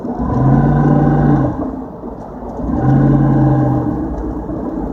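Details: 2004 Dodge Durango 5.7 Hemi: touching the gas gives a low droning buffeting sound, and stomping on and letting off the throttle gives a rattle as revs drop; cause unknown.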